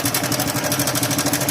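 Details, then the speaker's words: TVS Star Sport motorcycle at idle: quick, even ticking of roughly ten a second over the single-cylinder idle, attributed to the cam chain tensioner; tensioner to be opened and inspected. "Quick इसके हो रहा है दोस्तों यह tension की वजह से होता है"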